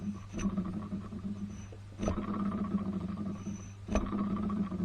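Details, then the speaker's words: Nissan Z32 300ZX twin turbo alternator, removed, thought to be still charging, spun by hand: three gritty, rough rumbles fading as it coasts; badly worn alternator bearing. "she is rooted so yes i uh i imagine this was making a bit of noise in amongst everything else"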